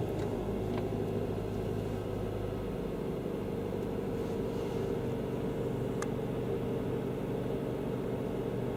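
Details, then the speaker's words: 2005 Mazda 3 after a 2.3L-to-2.5L engine swap, first cold start after resetting the timing, which was the fault: smooth, even idle with a steady low hum and no knocks, ticks or misses; fixed, running clean. "well that's a fix this engine is running and we are good"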